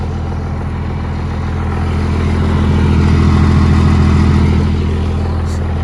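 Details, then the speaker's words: First-gen Cummins diesel (1989–93) after replacing the fuel shutoff solenoid and cracking each injector line to bleed air: steady, even idle with a smooth low rumble and no misses or stumbles; running cleanly. "And as you can hear, the truck sounds a lot more better."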